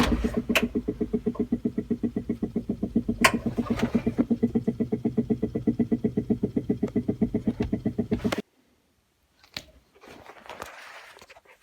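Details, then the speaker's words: Old Dodge blower motor, long needing to be hit to start, before 3-in-1 oil fix: regular knocking about four times a second while running, then cuts out; dry worn blower motor bearings. "sounds like the blower motor has finally had"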